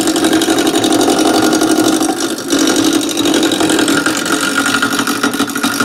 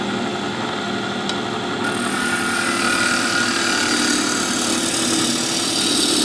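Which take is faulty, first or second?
first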